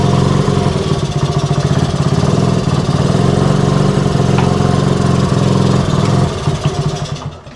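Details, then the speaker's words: 1964 Honda C110 reassembled from pieces, first run. The small single idles unevenly, revs drifting up and down at random instead of settling. The slide isn't working and the carb/throttle is suspected but unconfirmed, so the idle is hunting. "So the slide isn't working because, as you can tell, it's going up and down in random idles, but we have something to work off of. That throttle is not happy at all."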